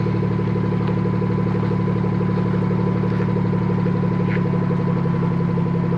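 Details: BMW F30 340i after fixing the exhaust valve rattle by refitting its clip/pin: steady even idle with low smooth drone, no rattle or tapping; sounds healthy.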